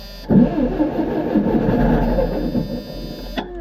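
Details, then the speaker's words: Wisconsin V465D engine on skid steer after ring gear replacement, not fully warm, too little choke: churns over steadily about three seconds but never fires; cranks without starting, owner blames insufficient choke. "didn't try hard enough with the choke I guess sometimes I get it on the first try sometimes I don't"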